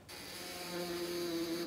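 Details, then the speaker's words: 12V vehicle battery reading 13.3V charged but sagging to about 11.3V on a start attempt: rapid buzzing solenoid chatter with no cranking, as the battery has voltage but no current; dead battery. "entend clairement le volet qui grésille si je reprends la tension je n'ai déjà plus que onze vols 3 10 26 elle a de la tension n'est pas d'intensité"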